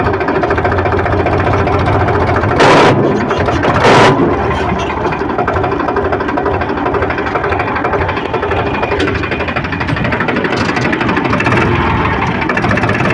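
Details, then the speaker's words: Powertrac 42 Plus Loadmax (44 HP) tractor, noisy in every gear except fourth: in third gear with the clutch out, a loud steady rough grinding sounds under the engine drone; the cause is a failed gearbox countershaft bearing. "तो आपने देखा कि हमने तीसरे gear में shift किया और shift करने के बाद कितनी आवाज़ आ रही है। जैसे ही हम ट्रैक्टर को चलाने के लिए क्लच छोड़ते हैं, एक बहुत तेज घर्षण की आवाज आती है।"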